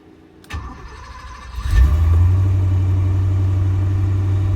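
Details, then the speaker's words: 1983 Porsche 928S V8, previous owner replaced a broken timing belt and did a tune-up, water pump likely not done, needs fuel hoses: starter whirr, quick catch, then smooth, even idle sitting a little high. "Idle's smooth, but it's a little bit high."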